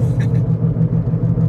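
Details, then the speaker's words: 2006 Toyota Prius with 205,000 miles while driving: heavy low rumble with a steady wobbling pulse, reported as humming, grinding and vibration that new tires didn't fix; owner suspects bad wheel bearings, not confirmed. "really really noisy um I suspect that the wheel bearings are bad"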